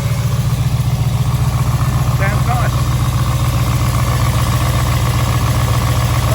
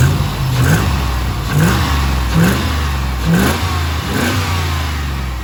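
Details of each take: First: Rebuilt V8, cold start, lifter tick that began about 3,500 km after the rebuild and persisted through different oils, now quieter. A steady idle with quick, even light tapping in time with the engine, from a suspected dead hydraulic lifter. Hydraulic lifter tick. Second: Rebuilt V8, about 3000 km after rebuild, warm: quick throttle blips picking up cleanly and dropping back evenly, no ticking or knocking; earlier noise gone, slight misfire still unresolved.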